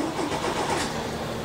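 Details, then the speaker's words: Old boat engine after long storage, cranked on small batteries: starter turns over sluggishly and never catches; batteries drained with nothing left, needs another power source. "crankin these little batteries nothing caleb just gave a kia turn there's nothing left and the batteries in the boat so he's gonna have to come up with some way to power it up"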